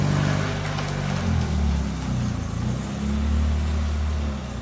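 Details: Toyota Tercel wagon with a 3A-C engine, just reinstalled with a carburetor swap, first test drive: low, steady engine rumble rising gently as the car pulls away, with no knocks, misses or rattles, a healthy engine.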